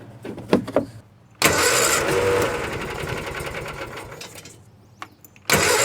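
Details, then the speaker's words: 1986 or 87 Argo Magnum with choke on, fed from its internal tank. Starter grinds the engine steadily for several seconds with no firing; nothing reaches the fuel filter, so the owner plans to pressurize the tank to push fuel up. "and still doesn't look like there's anything coming up so I'm going to guess that we're going to have to put a little bit of air pressure into uh into this tank to force fuel up into this filter and then all the way up to the engine"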